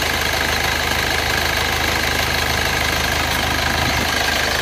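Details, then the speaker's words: Rebuilt Isuzu Panther diesel with cast liners, on Fox Titan oil, after a round-trip drive to Blitar: steady, even idle with no smoke. A squeak, suspected from the fan/AC belt, was doused with water; the engine now sounds smooth. "Oh iya. Oke. Halus. Halus suaranya."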